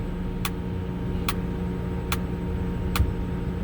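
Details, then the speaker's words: Potain 219 tower crane cabling up slowly in first gear: crisp clicks every 0.8 seconds over steady low motor hum, normal hoist rotation indicator. "So cabling up again in first gear, doing it very slow. You'll hear the clicks."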